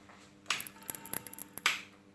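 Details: HP Vectra i386 25 MHz computer power supply running: irregular sharp crackles and snaps over a faint steady hum; no burning, damp or leaking-capacitor smell; cause unknown.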